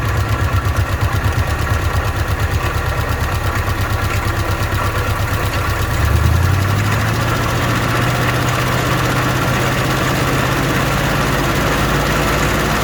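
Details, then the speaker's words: Old car, carburetor bowl filled by hand: uneven, lumpy firing about six seconds, then revs rise and steady; running rough, likely short of fuel; owner says the bowl isn't taking fuel and the fuel pump isn't pumping. "Yeah, it's not taking nothing. And that pump ain't pumping nothing."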